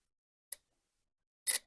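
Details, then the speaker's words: Headlight relay from a 2011 VW Jetta, bench-tested with ground on pin 86 and power on 85: one sharp dry click as the coil is energized, the switch engaging cleanly; relay passes first test. "That means it's working. So it passes the first test, which means that when power goes through the coil, the switch does engage."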